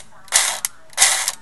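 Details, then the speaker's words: Echo1 USA Platinum airsoft M4, broken per customer, trigger pulled on semi-auto: short whirring bursts of motor and gears with no shot cycling. Nozzle/tappet plate moves, so motor and gears work; stripped piston teeth suspected. "so I hear the gear spinning let's see if you can you can hear it you can see the nozzle moving and hear the gear spinning so that means that the nozzle which is attached to the tapa plate is being pulled back by the sector gear"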